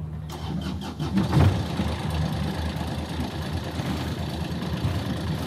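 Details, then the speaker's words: Universal M25XPB diesel in a Catalina 310 sailboat: brief crank, catches cleanly, settles into a smooth, steady low idle at 1,000 rpm with cooling water sputtering overboard; normal start and idle. "RPMs are at 1,000. Everything's looking good."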